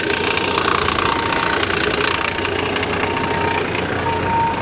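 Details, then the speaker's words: Salvage-auction vehicle listed as non-running that actually starts: rough idle with a loud, uneven knock about three per second over a harsh clatter. The cause is unknown; the speaker wonders whether it is a pulley or the timing chain. "now you hear that god-awful noise right what is that noise is that a pulley or is that a timing chain that sounds really bad yeah that sounds that sounds pretty bad"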